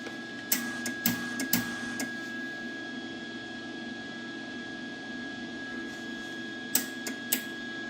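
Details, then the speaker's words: Lincoln Weld-Pak 140HD MIG welder: a thin steady wire-feed motor hum broken by bursts of sharp clicks as the feed stalls. The spool-mode switch sits slightly off and isn't making contact. "See that? If it's off a little bit and it's not making contact in that switch in the back, it'll eventually die out."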